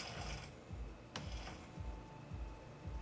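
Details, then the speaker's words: Racing wheel base (Elite wheel on a simulator cockpit, Xbox 360), left on standby about an hour: rough, uneven, gritty grinding pulses about twice a second from the fan side where the two force-feedback motors are; burning smell also noticed. "and if you can hear now there's a grinding noise in the side where the fan is where the two force feedback Motors are"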